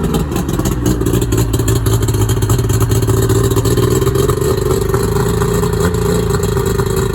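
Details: Two-stroke outboard that wouldn't start on the water, started using the throttle-only (prop disengaged) button: loud, even buzz running steadily at fast idle without stumbling or cutting out; normal running.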